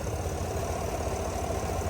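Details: 2022 Chevrolet Suburban V8 after engine noise/misfire repair with flashing check-engine light; cylinder head refitted with new bolts in torque sequence. Smooth, even idle, steady low rumble, no top-end ticking or knocking; now running well.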